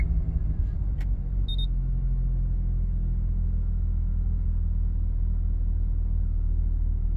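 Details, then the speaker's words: Mazda FD RX7 rotary, otherwise stock except catback, at a dead cold start after re-enabling the double throttle control system and replacing a vacuum line and check valve: steady, even idle with no oscillation or shaking. "valve cold start everything works as it should now so I'm super happy"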